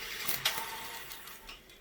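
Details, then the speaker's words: Revox A77 Mk3 reel-to-reel after servicing: light mechanical clicks and a faint brief squeak as the reel brakes stop the tape at photo-sensor auto-stop; normal behaviour. "You could you could hear them coming and squeaking a little bit there, which is perfectly normal."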